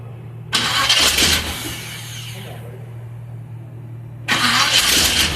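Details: 1946 International KB after exhaust gaskets refitted and the manifold bolts snugged: short crank, catches cleanly, then a steady low, even idle with no ticking or puffing. The exhaust leak is sealed.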